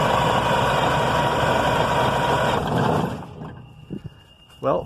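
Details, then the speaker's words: Detroit 6V92 diesel that sat over 10 years, fuel tank bypassed with a 5-gallon can and new filters primed: about three seconds of rough starter cranking that never catches, some white smoke, starter getting warm; cranks but no start. "the best so far but i don't want to overdo the don't want to burn out the starter so we'll try again in a few minutes"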